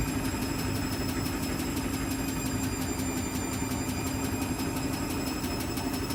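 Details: Washing machine spin cycle: steady drone with fast, light ticking about four times a second throughout; noisy spin, cause not yet pinned down.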